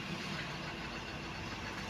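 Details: Hyundai Xcent diesel after knocking, hard starting, black smoke and low pickup fixed by cleaning jammed injector nozzles and clearing codes: smooth, even idle clatter with no knocks or misses; healthy.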